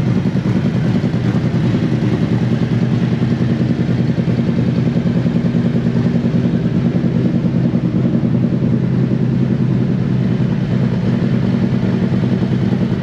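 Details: Used 2018 Harley-Davidson CVO Road Glide inspected before purchase: even loping V-twin idle around 1000 rpm, no ticks, knocks or rattles over the exhaust; engine sounds healthy.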